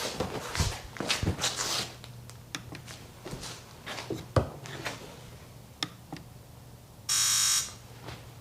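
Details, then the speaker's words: Sea-Doo GTX DI, new air injector found faulty and the old one refitted: after scattered clicks, a sharp half-second electric buzz comes on cleanly when triggered, the air injector is working. "And it works. So obviously the new one is toast."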